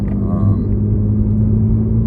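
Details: 3G Eclipse Spyder GT with a recently replaced fuel pump, cold start after sitting about a week, fourth drive: a steady low engine drone under road rumble while cruising, even with no misses or surging; the engine runs healthy.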